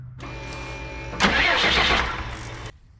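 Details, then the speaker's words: 2001 Freightliner bus conversion with 24-valve Cummins diesel, after fuel filter change, bleeding at the loosened 17mm supply line from the filter canister: brief starter whir, about 1.5 s of cranking, no firing; no-start from air in the fuel system. "And when fuel starts coming out of there, we need to close it. I just bumped the starter."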